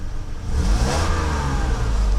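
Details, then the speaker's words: Mercedes W126 300SEL after fuel distributor repair, fuel float replaced, started after sitting in damp basement: engine picks up cleanly from idle and climbs smoothly, no hesitation; compression all at 11 giving strong initial acceleration, normal free revving. "because it the cylinder pressure is excellent they're all at 11 so it has very good initial acceleration even when it's running you can feel the engine has a lot of power"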